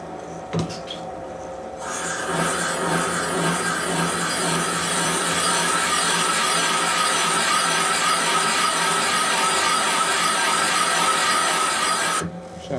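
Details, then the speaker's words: 1981 Harley-Davidson XL Sportster 1000cc ironhead cylinder head valve job: a smooth, steady rasp for about ten seconds with no chatter as the valve seat cutter cuts cleanly and deep enough. "good and clean it sounds like it's cutting nicely that means you cut deep enough"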